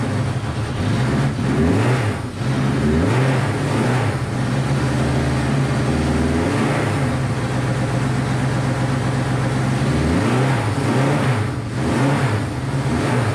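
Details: Honda CB500 four-cylinder after carb rebuild and float reset, on auxiliary tank; revs rise and fall unevenly then stumble down, never smooth, though seemingly firing on all four.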